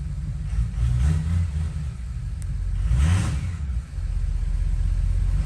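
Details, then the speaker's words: Ford 6.0 Power Stroke diesel after head studs and head gaskets: revs rise and fall with a deep rumble but none of the usual turbo whistle; the turbo vanes are not actuating, giving no boost. "the veins are not actuated in this turbo which is why it sounds so funny"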